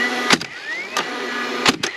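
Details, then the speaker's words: DeWalt DCFS950 9-gauge cordless fence stapler working again: short rising motor whirs between sharp firing snaps, cycling cleanly. Earlier fault was dying after one shot, which the owner suspects came from moisture-related jam-mechanism contact issues. Normal motor run. "Alright. It's back working."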